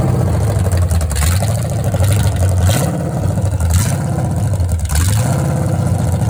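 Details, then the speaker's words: Restored 1970 Pontiac GTO 400 V8 (YS code) on test stand during cam break-in, Summit 2801 flat tappet cam, Quadrajet carb: steady strong rumble held at raised revs, even firing, no knocks or ticks; healthy. "And Al's done an excellent job restoring this engine, and we'll let you hear how it runs."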